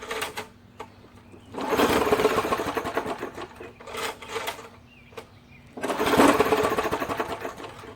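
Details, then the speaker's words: Old 3 hp, 20-inch-cut MTD push mower on a cold start. It started the first time, then skipped, and now gives two bursts of cranking whir with no firing at all. The owner suspects trash in the carburetor; not confirmed. "boy it's not even trying any at all now i mean it's not trying to lick"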